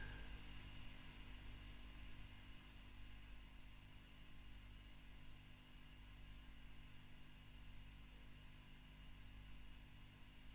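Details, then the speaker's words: Fender Bassman '59 reissue (2008, 4x10) after a tube was replaced with a Mullard: low steady mains hum with faint hiss, no crackle or popping; running much nicer, quiet healthy idle. "And things seem to be running much nicer with that in."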